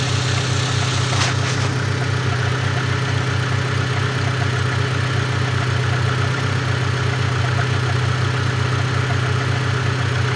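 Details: Great Wall Safe, cold engine: idle with a regular light knock, about two to three beats a second, keeping time with the engine.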